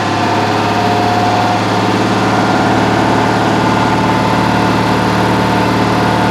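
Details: Citroën AZU twin, first start after a long time, choke at middle, pull starter: steady thrumming idle with a loose, slightly lumpy beat, sitting low; it could use slightly higher idle.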